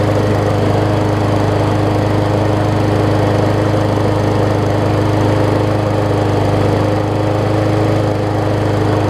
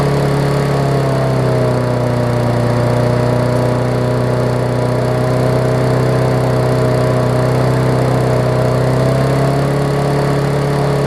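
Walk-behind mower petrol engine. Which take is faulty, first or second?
second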